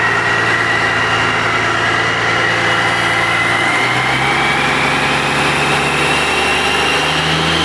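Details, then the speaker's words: 12-valve Cummins diesel warmed up about 15 minutes for head stud re-torque: steady, even clatter, smooth unchanging rhythm, no knocks or misses; healthy warm idle. "But we got a good 15 minutes, got to listen to it run. That was pretty fun. Yep. So pretty exciting. Yep. Sounded great."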